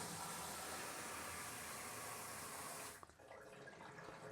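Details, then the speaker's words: Primary sump pump tested after replumbing the water-powered Venturi backup pump's discharge: plugged in, steady rush of water from discharge for three seconds then drops off cleanly; pump runs smoothly, moves water fine. "So let's go ahead and plug our sump pump in. Boom, you hear it running."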